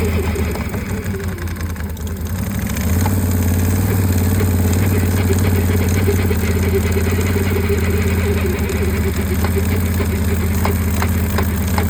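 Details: 2022 Can-Am Outlander 1000 XXC ATV: low engine rumble with a regular clunking, about three to four knocks a second, occurring only while creeping at low speeds of 1–4 mph.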